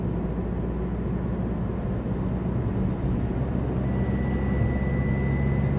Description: Alfa Romeo 147 strange whistling sound when acceleration very slowly.